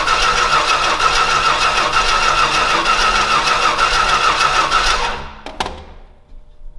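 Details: Old Stewart & Stevenson aircraft tug engine with valves believed shot, primed through the big flat manifold, fuel leaking out. It gets ignition, catches and runs unevenly a few seconds, then stalls. It fires but won't keep running; cause unconfirmed.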